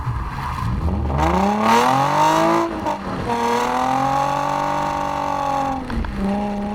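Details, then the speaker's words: Nissan 350Z VQ35DE V6 with DIY cat-delete exhaust, GoPro recording: smooth tone climbing through the revs, dropping on shifts and lifting again; even, loud, free-flowing, healthy. "we have got a few GoPro clips for you on what the vehicle sounds like now I love it it's amazing enjoy"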